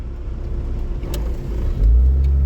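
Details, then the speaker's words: Austin Ambassador Y-reg automatic after gearbox fix, pulling away from a stop: deep rumble then smooth step in pitch as it upshifts cleanly from first into second; normal. "And up she goes. Holding it well. Oh, yes. Nice. Performing nice. I'm happy with that."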